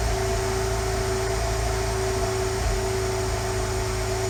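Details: 2015 Subaru WRX turbo with Mishimoto intake, EBCS, EGR and TGV deletes and a catless J-pipe, at cold start: an uneven, lumpy idle under a steady whine. It was later cured when the tuner disabled stratified fueling.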